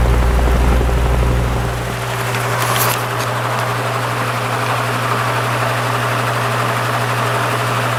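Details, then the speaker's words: Spare Marco motor with blade from Lasko/Galaxy box fan, repaired, restarted after running on low: steady low hum with soft whoosh settling after a couple seconds; spins up and runs smoothly. "Yeah, it runs just fine. Start it up again, see if I can get the startup sound a little better."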